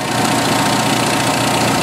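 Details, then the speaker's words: 1986 Jeep XJ 2.5L at idle after fixing the improperly set-up crankcase ventilation with an orifice: steady, even, smooth hum with no misses; idles much smoother, coolant 203, long-term fuel trim still high, expected to drop. "one thing I could tell right now is the engines idling a lot smoother a lot"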